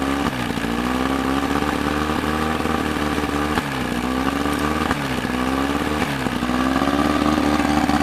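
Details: Evinrude outboard running after water pump impeller replacement: revs rise and fall with even firing and no knocking or rattling; normal running.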